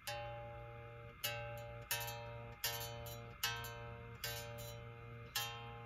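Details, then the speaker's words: Les Paul bass after adding neck relief (about quarter turn, relief about .012) and lowering action: repeated plucked note rings cleanly and sustains evenly; back buzz between fretted note and nut fixed. "so it appears this back Buzz was pretty well fixed by putting a little more relief in the neck"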